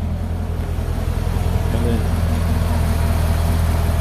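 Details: 2012 Corvette Grand Sport 6.2 L LS3 V8 after AMSOIL engine flush and Signature Series oil change: deep, steady idle with even lumpy beat, no ticks or knocks; running healthy.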